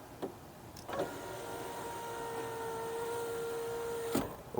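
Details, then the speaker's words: 2006 BMW E87 1 Series rear right window, after fitting a used genuine regulator: a steady, even motor whine through full travel down and back up, with no grinding or clicking. Normal operation after the repair. "And everything works as it should, all the way down, all the way back up."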